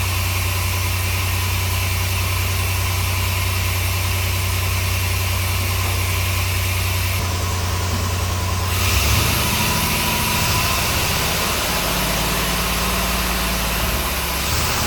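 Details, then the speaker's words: 1964 Willys CJ5 with re-done Chevy 4.3L V6 swap, first start after timing retarded, distributor possibly moving; rough uneven lumpy idle shifting as it settles, one cylinder missing, suspected cylinder one; cause unconfirmed. "Uh, but it's missing. It's missing."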